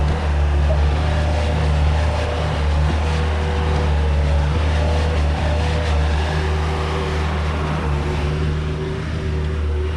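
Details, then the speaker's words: Bobcat 873 skid steer diesel with a stalling fuel issue, running on the old filter installed last time: steady, even rumble with no stumbling or dying, the longest it has run since the problem began. "all right well that's a good sign I mean uh that's pretty much the longest it's made it since this problem started going"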